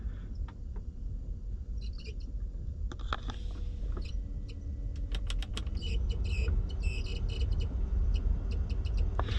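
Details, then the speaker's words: Porsche Cayenne, ignition on: cabin blower fan whooshes steadily with irregular high-pitched chirps and squeaks, a known recurring Cayenne cabin-fan fault. "voyez le petits couinements de merde que qu'on entend là quand vous conduisez"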